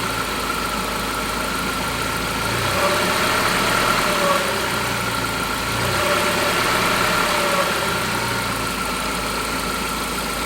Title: Saab alternator starting to fail not the turbo whine!